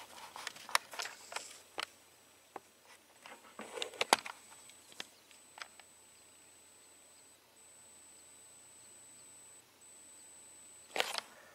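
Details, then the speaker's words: AOKoda CX405 1S LiPo USB charger charging TinyHawk II batteries from a 1.8 A USB charger: a thin, steady, faint high-pitched coil whine over handling clicks, barely audible unless close; the unit also gets a little warm. "The only negative thing about this unit, I will say, is that you can actually hear a whine."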